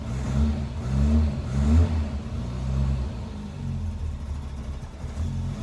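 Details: Cold Le Mans green Mk1 Ford Escort blipped several times after its competition World Cup crossmember was removed. The deep note rises and falls cleanly with no knocks, rattles or stumbles. Before, idle resonated through the body and shook the clock glass. Normal revving.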